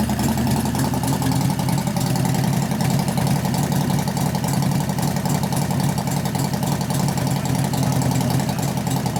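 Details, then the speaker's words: 1988 Harley-Davidson FXR V-twin during lifter noise and pushrod adjustment work: lumpy idle with a fast, uneven ticking about three or four times a second; the knock grows louder. "right now I can hear the knock getting louder which one is it"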